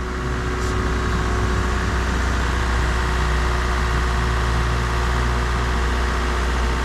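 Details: Mazda MX3 automatic after torque converter replacement, previously squealing: steady, even low rumble with no knocks, misses or squeals, goes through all gears; normal idle.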